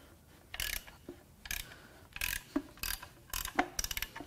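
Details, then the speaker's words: Ford Taurus SHO 3.5 EcoBoost V6, front-wheel drive, engine torn down with block girdle removed: crank turned by hand gives sharp metallic clunks at each direction change, rod with play; rod knock. "every time they change direction they knock that one's got a little bit of play there"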